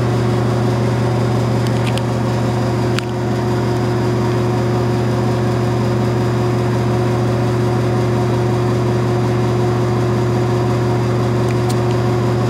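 Steady low motor hum with a strong tone near 100 Hz and a whirring fan note; the fan runs loud, cause unclear.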